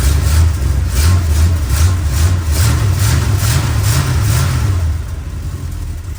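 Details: 1962 Chrysler New Yorker, 440 V8, cold before carb tune-up: big V8 rumbling unevenly, pulsing and stumbling when revved, sputtering on acceleration; owner says mostly due to being cold, cause not confirmed.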